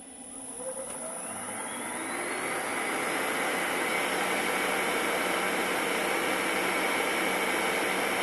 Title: Motor bearings replaced